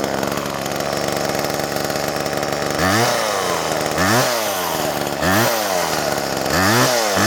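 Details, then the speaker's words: Old Homelite Super 2 two-stroke chainsaw, rarely run, so owner says the carburetor never softens up: revs up and sags repeatedly in uneven surges, never holding a steady speed; rough running. "Like all my old saws, it don't run real good because don't run it enough to let the carburetor soften up."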